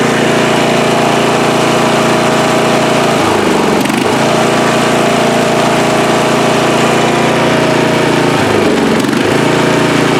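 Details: Free riding mower, engine test after gas tank was drained and fuel added; it was flooding and backfire was feared before starting. Steady single-cylinder drone holding speed with a couple of brief dips as load changes, otherwise even: normal running.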